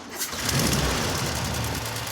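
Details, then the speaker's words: Classic VW Beetle with poor ignition from worn distributor contact points, blistered rear valance from exhaust heat: catches then idles lumpy, struggling and spluttering, almost cutting out; misfire from weak spark. "okay if you listen to the idol you can hear that it is really struggling and tunnel spluttering and it almost cuts out and that's come from poor ignition"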